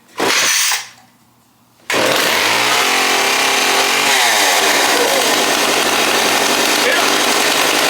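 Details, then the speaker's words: Stihl chainsaw after carb cleaning, readjustment and starting on half choke: loud, steady fast buzz that never drops to a lazy idle; idle speed set too high and needs turning down. "Got to turn the idle down."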